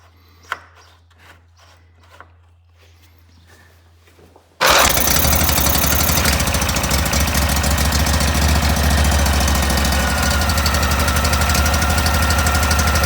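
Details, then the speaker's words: Cub Cadet 682 lawn tractor with a Briggs & Stratton engine, started after a carburetor cleaning and throttle cable change with the airbox off; silence, then it fires instantly and runs steady and even, choke working. "We're going to see if it runs. Want to make sure that choke works right. And it does."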